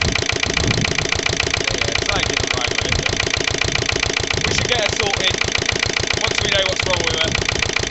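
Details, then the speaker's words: Lister LD1 single-cylinder diesel on a chilly 5–6° morning after a fuel filter change: heavy thumping about 210 a minute, slightly uneven under load. Rough running; owner suspects a fuel-line air lock or the pump, hoping load clears it. "I should think is probably just a um probably just an air loock in a fuel line or something bit cring or maybe same with the pump"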